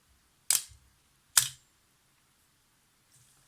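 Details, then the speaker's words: Yashica FR-1 film camera shutter on B during restoration: two crisp snaps about a second apart; fires cleanly, owner feels first curtain slower than second but cannot measure speed. "And it looks pretty snappy to me. I feel like the first curtain is moving a bit slower than the second."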